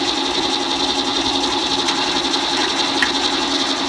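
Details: Leblond 19-inch lathe with a 5 hp motor that sat about 10 years: motor bearing replaced, gearbox oil changed, all gears good. A smooth, even gear whir with steady pitch and no knocks; normal gearbox running.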